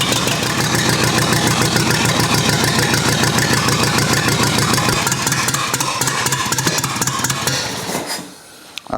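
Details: Rebuilt U23 engine, first start after 25 years, idle mixture screw about two turns out: loud, choppy firing that fades and stumbles, dying near eight seconds; carburetor not supplying enough fuel at idle.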